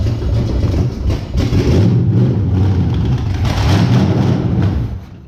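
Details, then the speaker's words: Small-block Chevy V8 in a custom rat rod truck after first start: deep lumpy burble with a couple of throttle blips, firing steadily without misses, good oil pressure; running healthy. "yeah not bad good oil pressure sounds pretty good"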